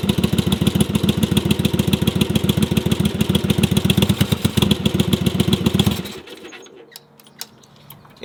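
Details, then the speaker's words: Yamaha Virago cafe racer project: uneven lumpy idle, irregular beat, occasional louder bursts and pops before dying; running on one cylinder, second only fires occasionally, cause undetermined. "The second cylinder occasionally fires. You can hear it firing, the bike gets louder, and then you can hear the popping, which is the cylinder not working."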